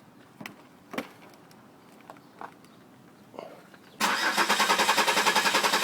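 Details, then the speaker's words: 2004 Buick Rendezvous 3400 V6, random no-start despite new crank sensors, coils, ignition control unit, wires and plugs: starter cranks at a steady beat about three and a half a second but never fires; spark and fuel pressure both confirmed. "it took me all night and half the morning but I've got it back to no start"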